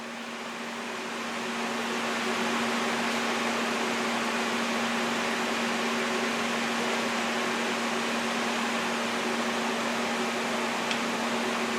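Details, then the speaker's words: ProTIG 200 TIG welder: steady soft hiss with a faint hum and no crisp crackle; the arc sounds starved because the welding current is set too low. "so i think that's just not enough current to go crank it up try again 200 amps now"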